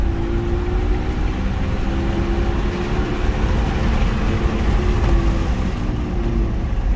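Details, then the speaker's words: 2014 Infiniti QX60 3.5L transfer case, warranty inspection: constant deep, dry droning roar from inside the case; case leaking fluid, apparently at the pinion, likely ran low and got very hot; transfer case roar from low fluid. "Okay, in this video, I'm going to show you how the transfer case is making a noise from inside. It's like a roar."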